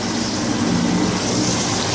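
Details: 15-year-old Carrier water-cooled units not cooling, old indoor cooling tower completely dry with no water circulation: steady rough gravelly rush over the pump hum with no even flow note; circulation pump cavitating for lack of water.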